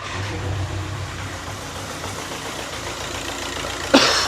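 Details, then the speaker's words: VW Caddy 1.9 TDI diesel DSG after turbo change, idling with heater and blower on full to bleed coolant: even low idle, steady beat, a couple of brief knocks at the end. Normal idle. "So we've been idling for 5 minutes. We've got no smoke on idle and no oil leak so far."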